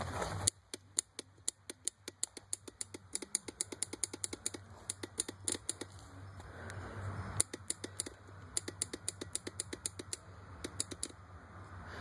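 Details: 2002 Yamaha Raptor 660R with brand-new starter, starter relay and battery (small 6-volt fitted): sharp dry clicks in bursts of three or four a second, engine never turns over; starter clicks, no crank.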